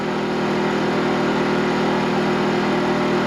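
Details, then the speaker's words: WEN 56235i inverter generator with Eco Mode off at full 4800 rpm, powering both tire warmers, heard from 10 ft: steady, even high-speed hum without misses, surging or knocking; normal running under load. "all right so now we've got both warmers on here we are running eco mode off we are at full rip 4800 RPMs"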